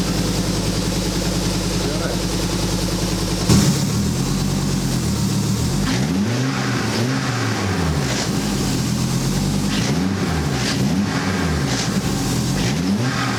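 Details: Ariel Atom replica after fuel tank rebuild, started via wired starter: engine catches and settles into even idle with gentle rise and fall from idle valve control; otherwise fine, adjustment maybe needed.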